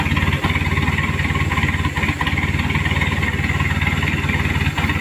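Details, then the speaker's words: Chevrolet K5 Blazer with Mitsubishi 4D56T turbo diesel, poorly set up after a previous engine swap, low power, before repair: uneven, stumbling idle with dropouts and white smoke; misfire/limping. "ini Lur ada pincang asap putih"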